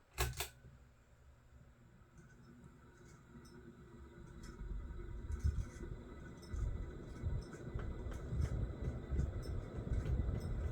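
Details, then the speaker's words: Old office ceiling fan on high spins up with a growing low rumble and uneven knocking, chattering and grinding from bad motor bearings; WD-40 did not help and it stops too quickly when switched off. "Knock knock knock. Yep. Those bearings are done for anyways."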